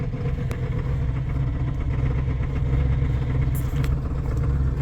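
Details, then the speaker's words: 7.3 turbo diesel truck, sat a long time, cold winter start, old batteries dropping to 10.4–10.8 V: cranks too slowly, then heavy, uneven lumpy clatter with smoke, struggling to settle; rough cold idle. "And listen to this thing. Turning over way too slow. Again, hit the charge protect. I'd like to see that number over 11. Okay, let's try it again. You guys can see it's cranky."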